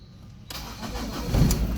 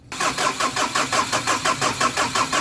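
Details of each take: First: Ford Ranger after top overhaul, which had refused to start: near silence, then it fires almost instantly on one crank into a steady even idle once a leaf was removed; clean start. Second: Ford Ranger after top overhaul, first start attempt: starter cranks steadily at about three pulses a second with no catch or firing; crank no start, a leaf found lodged was removed before it started.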